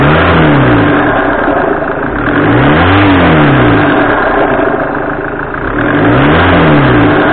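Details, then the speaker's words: 2008 Citroën C5 138 hp automatic, after coolant hose and alternator work; revved repeatedly, extra rising-falling tone on throttle release; pulleys tight, belt tensioned, damper fine; owner suspects intake circuit with air box removed, unconfirmed. "Alors il est possible que ça vienne, que le bruit vienne de la boîte à air, enfin, du moins de l'absence de boîte à air, donc du circuit d'admission d'air."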